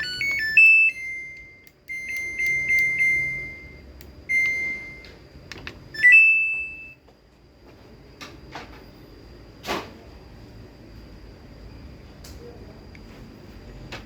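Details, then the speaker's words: Samsung front-load washer (auxiliary door model) on spin, no error code: a "tinh" beep, door-lock light flashing, then only faint drain pump hum and no drum spin; door lock not engaging. "chạy sau khoảng một tí thì nó sẽ kêu tinh một cái và nó sẽ bơm thoát nước đó các bạn thấy là nháy khóa đúng không ạ"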